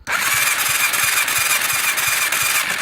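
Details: Yamaha YFZ450 after a new crank, rings and piston, cranked from a jump box wired to the solenoid with the clutch pulled; the starter whirs steadily but it never fires; no spark found, though spark appears when the relay is jumped.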